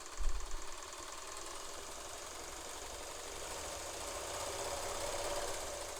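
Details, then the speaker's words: Singer Spartan vintage sewing machine, previously oiled by the prior owner, being diagnosed as problematic: at full speed it gives a fast, even whirr with a steady low hum and no hesitation. Full-speed running sounds normal. "And that was full speed there."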